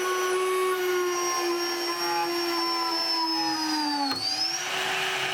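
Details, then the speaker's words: Shariff DMC2 CNC spindle pushed to the limit with a 3 mm end mill in a very heavy cut: spindle whine sags in pitch as it bogs under overload, then a sharp snap and pitch jumps back as the end mill breaks. "what i wanted to point out is that you can hear the spindle start to bog down before it snaps"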